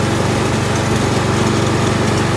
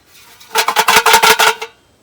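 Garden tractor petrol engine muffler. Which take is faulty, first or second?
second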